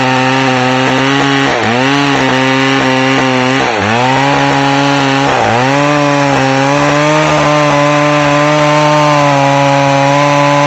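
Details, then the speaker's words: McCulloch Pro Mac 610 chainsaw after clutch inspection and chain sharpening, making test cuts; screams at high steady revs, dips under load and recovers cleanly; running great. "all right well you can see the uh Pro Max 610 is running great"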